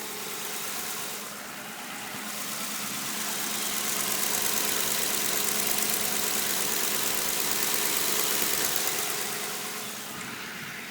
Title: Ticking/Click sound coming from my CVPI